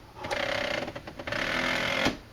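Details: Salvaged CD/DVD drive on a test rig, checked for torque: buzzy mechanical whir spinning up and shifting pitch as load changes; the drive motor pulls strongly and runs normally.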